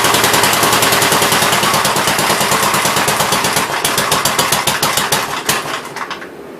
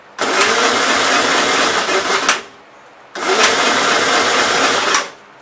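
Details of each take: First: 1957 Gravely SR single-cylinder after a top-end rebuild, first run: sharp, regular popping at a steady pace with no knocking, then winds down; no longer smoking heavily as before, only burning off spilled oil; normal running. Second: 1957 Gravely SR after a top-end rebuild, first run after sitting a couple of months: it catches for about two seconds, cuts out, then catches briefly again; rough running, owner suspects fuel issues, possibly carbon under the exhaust valve.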